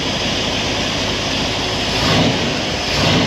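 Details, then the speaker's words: Carbureted engine in neutral just after steel-to-AN fuel line conversion, about 8 psi fuel pressure, cold start: steady, even cold idle with smooth unbroken exhaust note, no knocks or misses; normal cold start idle. "sounds healthy on a cold start i don't want to revert too high because obviously it's cold"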